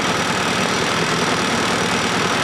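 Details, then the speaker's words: Petrol Fiat Panda 4x4 Sisley with add-on fuel injection/pressure setup: dull, uneven idle with hissy edge and no clean rhythm; running very rich and rough, owner suspects fuel pressure regulation problem. "but as you can hear it's not happy"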